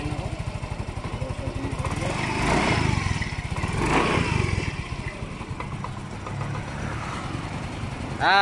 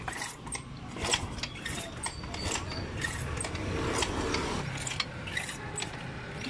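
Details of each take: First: Yamaha Mio i125 scooter that would not start, now running after spark plug reseated: small single-cylinder putters with quick regular pulses, swelling briefly with throttle then settling; runs properly, though throttle cable sticks and needs replacing. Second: Yamaha Mio i125 scooter that runs worse after a prior repair, with a throttle that sticks and won't return: repeated starter and kick-start attempts turn the engine over but it never catches.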